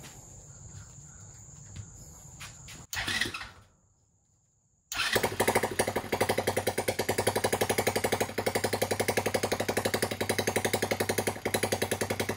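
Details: Freshly rebuilt TaoTao ATA110 110cc ATV single with the PZ20 carburetor fitted and fuelled, before break-in: after a pause it fires and settles into a quick, even thumping idle that holds steady on its own; normal idle.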